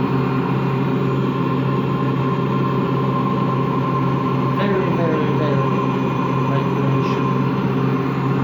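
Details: Washing machine run empty on rinse and spin: steady low growl under an even drone, no knocks; drum not loose, motor bearings suspected bad.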